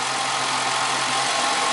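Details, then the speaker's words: 1998 Ford Contour, 2.5L V6, 165,000 miles, code P0401, rough-idle complaint: steady, even idle with a hissy background and no stumble when vacuum is applied to the EGR, whose diaphragm holds vacuum; owner suspects a clogged EGR port. "Let's see if I apply some vacuum to the EGR to see if I can cause it to stumble. It's not stumbling."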